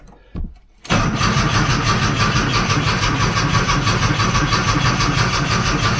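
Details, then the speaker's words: 1982 VW Westfalia with a swapped-in Subaru engine, first start after long without fuel, no cooling fan fitted yet: brief cranking takes a while, then it catches abruptly and settles into a steady, even idle. "Well, I'll be It took a bit to get it going, but it went long time since there was fuel up there."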